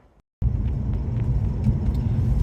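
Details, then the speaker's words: Alfa Romeo 156 V6 test drive after repairing a lost-drive fault that followed a passenger front wheel bearing job; smooth, even road rumble, the earlier clicking is gone, front end sounds healthy. "at least that clicking sound's gone now"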